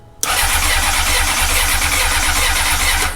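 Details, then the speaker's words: 2004 Honda CBR600RR after new throttle cable and fuel line refit, priming with throttle: steady fast four-cylinder starter churn with even compression pulses, grumbling, fuel smell, never catching; injector seating questioned, cause unconfirmed. "Ooh, hold on. Did you hear it? Yeah, I smell it. Give it a little gas. It's trying."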